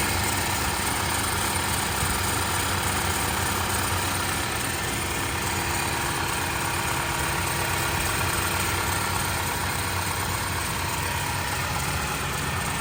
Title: The engine is excessively noisy after changing the frame